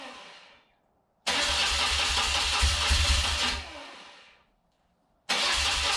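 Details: Rare carburetted twin motorcycle, first start attempt on choke, fuel on reserve, fuel filters fitted backwards: starter spins steadily, stops, cranks again with no firing; turns over but won't start.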